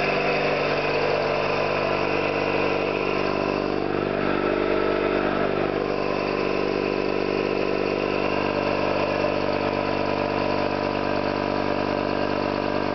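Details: Orlík 2 JSK 75-2 compressor, self-rebuilt after a bad "overhaul" (leaking concentric valves with dislodged axles, poor seals), one of the first starts with the motor temporarily started in star for the house breaker, 4 kW motor planned. Even, steady piston thump and constant drone, no knocks; normal running.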